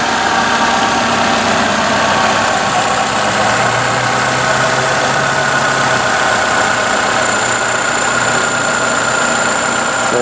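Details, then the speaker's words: 2011 Nissan Altima 2.5 SL, 76,000 miles, well maintained with oil changes: smooth even hum with low steady drone, no knocks, ticks or hunting; quiet healthy four-cylinder, normal idle. "that is what a Nissan Altima with the 2.5 2011 engine sounds like. With 76,000 miles on it. It's been well maintained with oil changes. Pretty quiet car."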